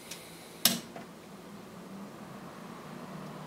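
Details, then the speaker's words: 1985 Convergent Technologies Miniframe power supply, failed fan replaced with spare 12 V NAS fan, powered on: click at switch-on then quiet steady airy whir, no ticking or rubbing, good airflow. Normal fan running. "and there we go the propeller is spinning it's putting out a good amount of air so we have fixed the one thing we knew was wrong with it"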